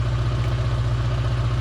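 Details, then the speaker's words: Holden Barina ML, not run for a while, distributor contacts slightly pitted, at idle after revving: low, throbbing idle with a pulsing beat wavering between firings, runs ragged, earlier exhaust backfire; cause undetermined. "but it's just that, yeah, sometimes after starting, you rev it a bit, let it go back to idle, and it runs quite ragged."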